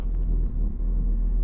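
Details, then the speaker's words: Jaguar XJ6 Series 3 that nearly stalls at lights, about three minutes after a cold start, idle dropping: deep rumble that stumbles and sags unevenly, engine shaking; rough idle misfire, ignition or vacuum leak suspected. "it's been about three minutes as you can clearly hear it's misfiring are running rough hasn't gone up the temperature yet but the Idol's coming down and"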